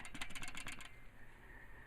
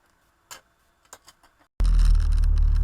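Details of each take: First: Old original clutch disc from a 1996 Jeep Cherokee XJ, 262,000 miles, clutch was chattering: about seven quick metallic rattles in under a second as the disc is shaken; worn-out damper springs rattling in their windows. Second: 1996 Jeep Cherokee XJ, 262,000 miles, after replacing the chattering original clutch: a few light clicks, then engine catches and settles into a smooth, steady low rumble with no knocking; smooth shifting in all gears, sounds healthy.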